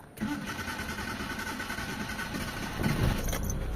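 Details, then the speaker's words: Mitsubishi Lancer automatic, after repair of a misfire blamed on a valve cover leak (new gasket, spark plugs, high-tension wires): starter churns a few seconds before the engine catches roughly. Hard start because the new fuel filter left the fuel system unprimed. "So nag-hard starting kasi nagpalit tayo ng fuel filter. So nawalan ng pondo mga boss."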